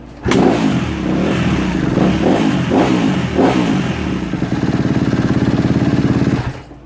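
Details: 2016 Kawasaki KX250F after fixing a bad fuel pump connection, reconnecting the pump so the computer accepts it: single fires right up, takes a few sharp throttle blips, then settles into a crisp, even idle; normal running.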